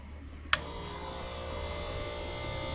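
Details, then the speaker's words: 3-point tractor sprayer sitting 30+ years, rebuilt, first run with water: click then steady electric pump hum with light even buzz and no change in load; pump running dry, not yet primed. "Pump's running. Hasn't picked up a prime yet."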